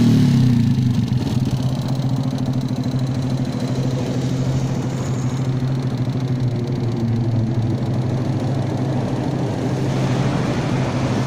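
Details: Motorcycle idling with a loose, uneven rattle and a tinny knock inside the engine over the low beat; piston slap suspected, cause unconfirmed.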